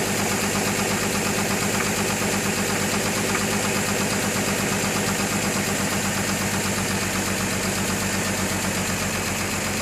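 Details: 2003 GMC Envoy idling with a fairly regular knock of about three beats a second; compression 180 psi on all cylinders except #3 at 150 psi, new plugs, throttle body cleaned, cause unknown.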